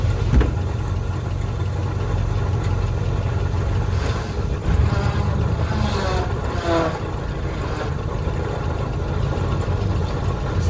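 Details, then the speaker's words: 1968 Chevrolet C-20 Custom Camper V8 running on an electric fuel pump fed straight to the carburetor after fuel line repair, not yet fully warm. Steady, even low rumble with no misses, knocks or ticks, settled into a healthy idle with good oil pressure. "so sitting here look at him just sitting here running like she's been doing it forever"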